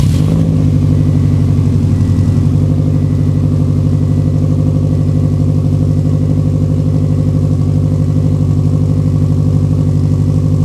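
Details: Fully built Subaru EJ25 flat-four, first start after reinstall and retiming; engine pulled over suspected bent valve and metal in oil. Catches quickly, settles into strong steady deep idle, no stumble or misfire; engine runs right.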